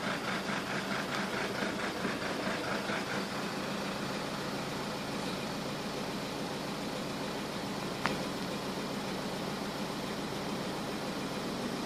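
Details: Intermittent idle problem, source not located: idle hunts and stumbles unevenly for the first few seconds, then steadies; rough idle, cause unknown.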